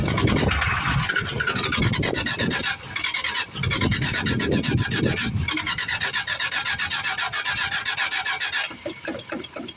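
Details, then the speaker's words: 1973 Plymouth Fury III, 360 engine swapped in after sitting engine-less 7 years; a little gas added to the tank, steady rapid cranking for several seconds, never fires. Owner suspects the fuel pump isn't delivering much fuel; unconfirmed. "Still can't tell. No, I don't think I'm pumping much fuel. I might have to put some air in the tank."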